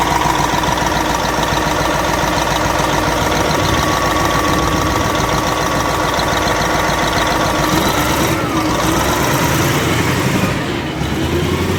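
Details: Caterpillar 988F2 wheel loader diesel before repair: heavy idle with loud, irregular clatter about three or four per second; cylinder 5 injector lifted by a broken hold-down bolt, damaged seals leaking fuel, causing knocking, black smoke and hard starting.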